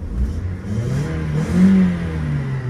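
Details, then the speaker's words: Nissan Primera P12 with diesel engine and CVT, inspected before dismantling: throttle floored, short deep run-up in revs rising and falling smoothly with no knock or rattle and no rear smoke; engine revs cleanly. "газ в пол никакого дыма у нас сзади нету ВС превосходно"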